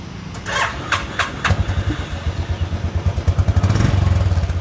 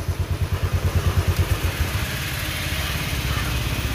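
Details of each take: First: Royal Enfield Classic 500 with hard starting and misfiring: several cranking bursts that won't catch because the fuel pump wasn't running, then an even single-cylinder thump near 170 a minute once it fires; check the fuel pump and relay. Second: Royal Enfield Classic 500 after fixing a starting and missing problem (fuel pump not running; check the pump and its relay): steady thump of about three beats a second settling into an even idle with no missing.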